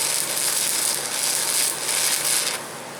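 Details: The big shop stick welder, running after the polarity was flipped back, for comparison against a small VEVOR MMA 200 DC stick welder. A steady, even crackling sizzle with no pops or sputter gives a smooth, stable arc.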